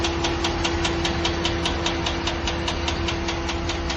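Sharp, even ticks at roughly two and a half per second ride over a steady idle; an engine-bay tick, source not yet pinned down.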